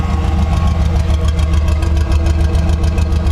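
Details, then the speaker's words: 1973 Chevrolet C10 short bed at idle after a new pump and a fitting were fitted. The split old fitting had been letting air in. Idle is now even and steady at about three and a half pulses a second, with no misfire or skips. "it's way more consistent it doesn't misfire or miss at all it's all there and it sounds really good"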